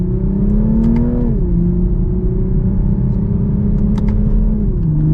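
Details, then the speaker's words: 2023 Toyota GR Supra A90, 3.0L turbo B58 inline-six, rear-wheel drive: deep six-cylinder note climbs smoothly with revs, dipping cleanly at each shift with light exhaust burbles; healthy, strong-running engine and exhaust. "and you can actually hear a little bit of the burbles from the exhaust man Toyota has just my God Toyota and BMW you knocked it out of the park with this model"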